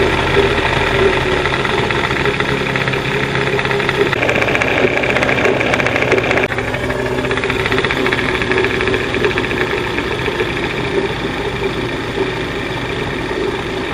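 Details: 1989 Johnson 40 HP VRO outboard during linkage adjustment, before carb and reed plate removal: loose, uneven idle patter with faint irregular knock; runs, but carb sync not right; throttle roller later found badly worn.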